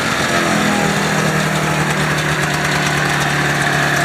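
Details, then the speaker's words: Ski-Doo Formula Plus 583 two-stroke snowmobile, sat over 5 years, fed from a pressurized jerry can: fired right up, holding a steady even idle with crisp buzzy exhaust, no misfires or hunting; normal idle. "Oh. Runs good, needs work. Fired right up. Smells good."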